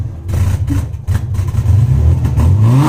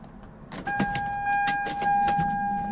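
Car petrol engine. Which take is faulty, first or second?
first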